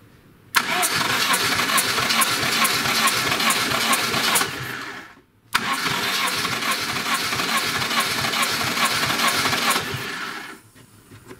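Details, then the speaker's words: Lada Niva 21213 (carbureted, burning oil, fouling plugs, hard to start) cranking: two bursts of rapid cranking without firing. Compression gauge reaches 13, but owner says the piston rings are finished; low compression from worn rings. "вот накачала махом 13 даже стало компрессия Ничего себе но не поршневой Понятно кирдык сто процентов"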